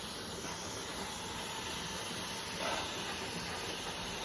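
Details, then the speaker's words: Pressure canner loaded with 7 quarts of pork and beans, lid locked, warming up: steady soft hiss of steam beginning to escape the top as pressure builds, no sputtering or rattling; normal steam venting. "Now, if you listen, you can hear the steam starting to come out."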